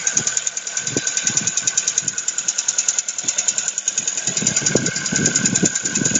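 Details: Ford Focus 2, 1.6 (115 hp), cold start at +6°C, idling: sharp even metallic knock about three per second after a spark plug ceramic fragment dropped into a cylinder and damaged the block; oil consumption, engine needs a full overhaul.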